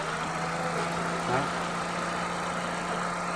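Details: Toyota Corolla Altis 1.8 at idle: a steady, even low hum with a constant tone and no knocks, misses or rattles; the engine sounds healthy.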